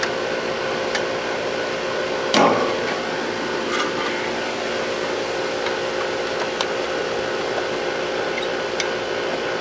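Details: HVAC condenser serving church classrooms, first start after the bad contactor was replaced and the disconnect put back in. One clunk, then a steady even hum with a smooth fan whoosh and no buzzing or chatter; the condenser runs normally.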